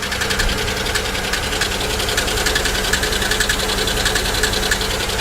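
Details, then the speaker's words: Used GM 3400/3100-type V6 at auction, idling: light quick ticking three to four per second over smooth idle; suspected collapsed lifter, possibly misfire or blown lower plenum gasket, water in oil suspected. "That doesn't sound like a lifter. Not at all. Actually, that does sound like lifters."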